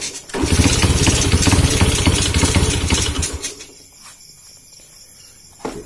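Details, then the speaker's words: Honda C70 motorcycle with dusty, unserviced carburetor, piston crown flattened and cut down about 0.2: fires up and runs a few seconds with an even tapping about four times a second, then dies; knock somewhat quieter, source still unknown. "Cop jap. Bunyi dia ni dah slow sikit lah. Aku dah potong sikit piston dia."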